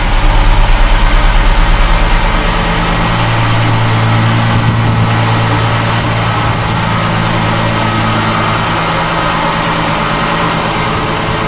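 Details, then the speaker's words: 2004 Ford Mustang just started for first time after fuel pump replacement, temporary battery; steady even low rumble holding one speed, no misses, knocks or hunting: normal healthy petrol idle. "There you go. Yeah, buddy. It's alive. Yes, sir."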